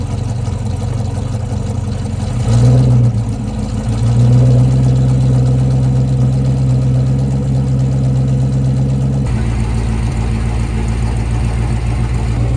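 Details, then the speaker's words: Abandoned prototype Carlton Carrera supercar with most of the exhaust missing: loud, even low rumble at idle with a steady beat and no misses or smoke; it runs smoothly, just noisy from the absent exhaust. "we have a Carlton Carrera that is running beautifully. There was not any smoke at all. It sounds great. It's smooth. Obviously, it's really loud."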